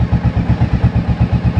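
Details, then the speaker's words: 1983 Yamaha Virago 750 Midnight Special, overhead cam V-twin, 12,000 miles; steady even low thump about seven pulses a second, no ticking or valve clatter; very quiet, normal idle. "There isn't a noise from this thing at all. This is probably one of the quietest overhead cam motorcycle engines that I've heard. And this thing's making no valve noise at all."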